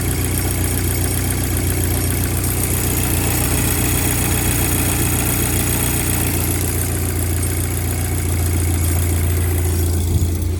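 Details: VW MK5 GTI TFSI that had a severe shaking misfire despite new plugs, coils and an injector, now started after the replacement part was fitted: steady even low hum at idle, no stumbles or misfire jerks; smooth idle.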